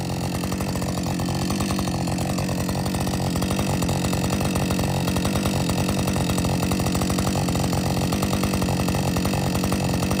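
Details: Husqvarna 562XP chainsaw after dealer software reflash for dying when hot and not starting; fast, steady two-stroke idle holding speed throughout without hunting or dying. Normal idle.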